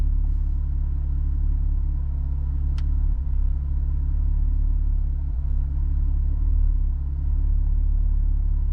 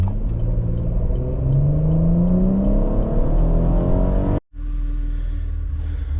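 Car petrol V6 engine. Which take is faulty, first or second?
first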